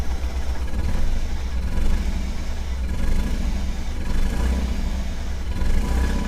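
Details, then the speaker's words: 1997 Camaro saved from the crusher, running around 3,000 rpm with throttle blips: lumpy, hollow, uneven low thumping with no crisp pickup. It is missing on one or two cylinders; owner suspects a failed coil in the wasted-spark ignition. "two definitely dead on a cylinder or two probably that wasted spark ignition it's probably a coil if a coil is out uh it's going to have two cylinders that are dead"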